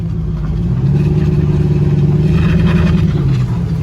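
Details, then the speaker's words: Caravan van with 6.0 LS V8 and 4L80E transmission, new tune, driving around a parking lot; spark no longer retards on touching throttle: deep strong exhaust note rising and falling cleanly, no knock or misfire; normal engine revving. "hey no spark retired already before just touching the throttle would make it pull four or five degrees sounds healthy enough"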